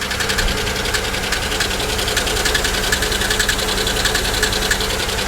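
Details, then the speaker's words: Steady light ticking at idle, about three or four taps a second, from a V6 (3400-type) engine; sounds like lifters, owner suspects collapsed lifter, possible misfire or blown lower plenum gasket; cause unconfirmed. "actually that does sound like lifters that almost sounds like this car maybe has the blown lower plenum gasket which these 3,430 100's are absolutely known"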